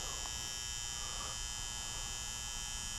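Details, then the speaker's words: Garage furnace, noise traced to the transformer on the fan control center beside a relay: steady high-pitched electrical buzz at an even level, no fan rhythm. Transformer plates suspected failing. "So the noise seems to be coming from this transformer here."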